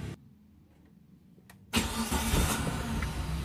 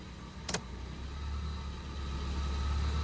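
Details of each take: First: Suzuki Karimun kotak with a recently disassembled carburetor, just started with the headlights off: after a quiet pause the engine fires and holds a slightly raised, even idle; a normal brief high idle at start-up. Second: Suzuki Karimun kotak, carburetor recently disassembled and idle settings not yet readjusted: a switch clicks on the headlights and the idle climbs and holds higher, also above the stable 700 rpm wanted; idle speed rises under headlight load.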